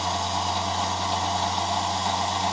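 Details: EMC lab 360° turntable with N-connector slip ring, run at higher voltage during teardown: steady even drive-motor hum with constant low tone, no knocks or scrapes, no sensor feedback seen; normal running.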